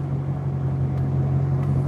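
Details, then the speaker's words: Warm idle of a Maserati's V8 with the hood open after the earlier clicking or ticking went away. It is a deep, even burble with only light rpm fluctuation, which the owner considers okay. Normal idle. "But yeah, once it's warmed up, everything is just pretty much chilling."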